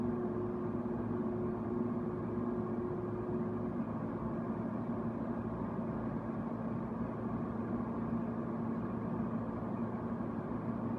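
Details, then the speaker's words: Haier QTPC05AA 5050 BTU window air conditioner on high fan and cool: steady even rush of air with a faint constant hum, no rattles or knocks; running normally. "High fan oh that's fan High cool I want it should start buzzing shortly when it buzzes that means the compressor is turned on and it's doing its cooling job"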